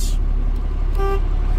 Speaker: city horn works Highway horn works sometimes on the trucks there may be a button over here but typically they're up there okay my horns work